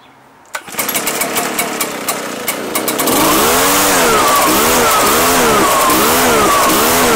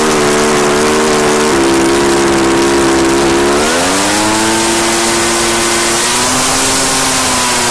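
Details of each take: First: Two-year-old Echo PB-755ST two-stroke backpack blower that bogs under throttle. After starting, revs surge and sag about once a second instead of holding. The fuel smells funky, pointing to stale fuel. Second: Echo PB-755ST two-stroke backpack blower, bought new two years earlier, after fresh fuel and carburetor adjustment (it had been bogging and dying under throttle/load); high, clean full-throttle scream that climbs and holds steady without bogging or surging, running normally.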